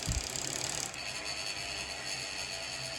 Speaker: you can hear the bearings in there they're not smooth at all and i mean usually they used to spin forever